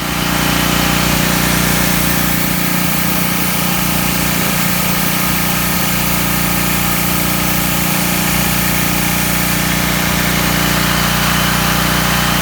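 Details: Small engine after draining watery, gummy old gas and cleaning the carburetor: steady, even buzzing run holding one speed with no stumbles or surging; running right.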